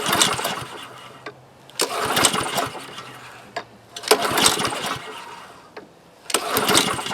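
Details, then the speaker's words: Husqvarna HU800AWD mower, Honda GCV190 engine, automatic choke, fuel and oil present, fuel valve open: repeated pull-starts every couple of seconds, about ten pulls, catching briefly then dying; dirty carburetor suspected, choke plate opening to be checked. "well 10 pulls on but I think it might be time time to uh take down the uh carburetor and peer in there make sure everything is happy inside there"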